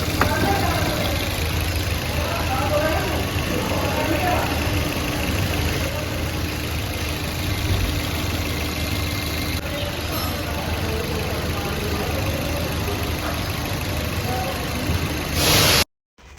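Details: Maruti Suzuki Baleno idling steady and even after clutch release bearing replacement; the noise from the gearbox side when pressing the clutch is gone.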